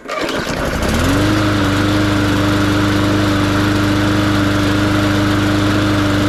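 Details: MTD 20-inch mower with Briggs & Stratton engine, after draining a crankcase overfilled with oil (hydrolocked), next-day cold start: catches within a second and settles into a smooth, even single-cylinder run; normal cold start and idle.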